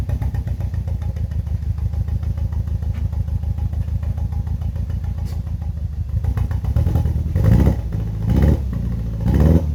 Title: BMW E46 318i N42B20 misfire sound